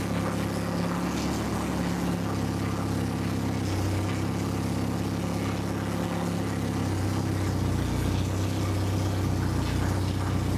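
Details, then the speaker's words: Honda H22 on a FuelTech FT450 standalone ECU, first start, cold with water temp around -4: a steady, even four-cylinder idle with no ticking or stumbling, sitting slightly low. The owner plans to raise the idle screw. "That's successful. Even when you were bluffing it, it's just like squeak. I need to probably get the idling screw up a little bit, and then."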